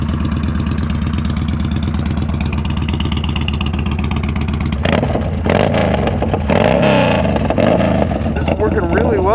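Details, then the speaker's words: Yamaha Bolt on test ride after fitting custom fabricated exhaust with O2 sensor bung onto stock headers, slip-on muffler; throaty twin rumbles, a few uneven deceleration pops as revs drop, much reduced but still needs a tune. "It sounds great. The deceleration pops have really gone down a lot. Definitely still needs a tune."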